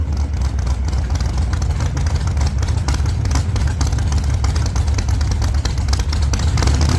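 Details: 1948 Chevy Fleetline small-block Chevy V8, 4-speed, test burnout after repair for pushrods breaking on first burnouts: heavy even roar held at high revs, no ticking or knocking; running strong, normal healthy revving.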